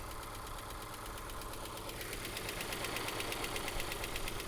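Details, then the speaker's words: Mazda 3 with SkyActiv-G engine: light, even ticking about three per second over a smooth idle; source not pinned down, hoped to clear with hard driving; engine ticking at idle. "engine sounds good very much like a Mazda here you go there's a little tick tick tick tick tick a tickety tick tick"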